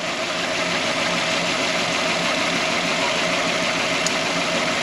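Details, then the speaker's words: 1998 Toyota Tercel with a cylinder 3 misfire when started: lumpy, uneven idle with an irregular stumble about three times a second over a steady hiss. The injector pulse is present, so the cylinder 3 injector itself is dead. "Aquí vemos que está pulsando y se puede ver aquí está pulsando O sea que el problema es el inyector como tal"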